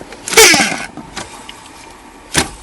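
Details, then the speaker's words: Worn blower motor removed from a 2002 Buick Century and spun by hand, giving a harsh rasping whir that falls in pitch, then a clunk. The customer suspected leaves or debris, but the motor itself is noisy and is being replaced with a new one. "that motor's pretty noisy. So let's grab the new one and we'll put it back in."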